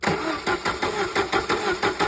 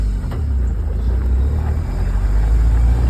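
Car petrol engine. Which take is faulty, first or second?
first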